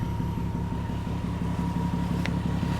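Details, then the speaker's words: Toyota Sienna with 530,000 miles, a Copart van needing a radiator: a smooth even low idle with a steady beat, no stumbles or skips, and a faint high whine. It runs well with no misfire. "fine. It runs well. It's not misfiring or anything. You can listen to it. It's a survivor, man. It's a damn tank."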